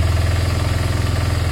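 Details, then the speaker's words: Twin motorcycle: lumpy, uneven idle that surges, dropping then rising on its own without throttle input; won't hold steady idle, bigger problem suspected, cause not found. "I mean it'll drop down in a minute and then it'll go back up so obviously there's something else going on there"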